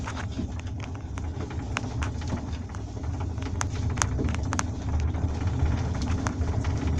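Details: Velomobile pedal (stock Quest SPD, possibly Shimano PD-M324) with its bearing worn out after 6154 km: sharp, irregular clicks about three per second tracking the pedalling over quiet rolling noise.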